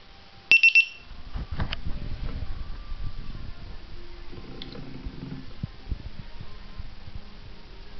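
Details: T580 after connecting a new flight controller: three quick high-pitched beeps in a row, then only handling noise; a new unexplained repeating beep code, meaning unknown.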